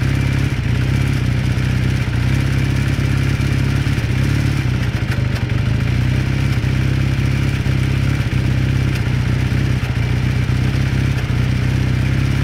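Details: 1981 Kawasaki KZ440 twin idling during warm-up with a steady clattering knock over the exhaust note; the knock comes from inside the engine and its cause is unclear.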